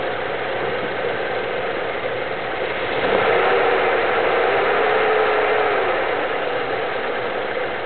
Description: '72 W200, 318, Vacuum leak causing erratic idle?